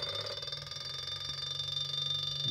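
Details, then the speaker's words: Washing machine three-phase brushless motor driven by a simple transistor circuit, original single coil (not rewired), at slightly higher RPM: steady high-pitched whine over a low hum, a bit noisier; waveform shows ringing from the single coil. Normal running. "a little bit higher RPMs and it's a little bit noisier, but you can see the waveform has changed a lot."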